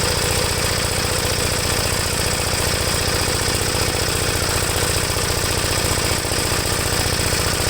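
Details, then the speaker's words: 1973 Gravely C8 single-cylinder after cleaning the points, regapping them and charging the battery, with the air cleaner installed, warming up: fast, slightly uneven, loaded chuffing. Rough running; owner thinks the carburetor is set too rich. "maybe the carburetor may be set too rich right now but we'll try to crank it over now try to get it started and let it warm up i think it's running too rich"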